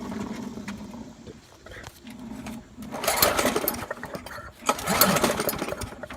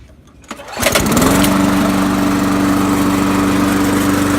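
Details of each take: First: Trash-picked Poulan Pro lawnmower found hydrolocked with too much oil, oil then checked within range: engine catches unevenly, surging and sputtering in ragged bursts before roughly picking up; running rough. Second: Trash-picked Poulan Pro mower, once hydrolocked from overfilled oil, after an oil change and blade sharpening: starts on the first pull and settles to a steady, even idle; normal start.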